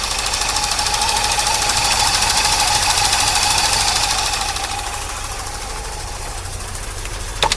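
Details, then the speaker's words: 1982 C3 Corvette, fuel-injected, left outside for a decade, warming up after a fuel system overhaul with the tank drained: an uneven, lumpy idle with steady ticking, two or three beats a second, throttle bodies popping; runs rough, possibly still on old gas. "It sure doesn't run too well, but what can be expected? I don't know if it's still running on that old gas or the new gas."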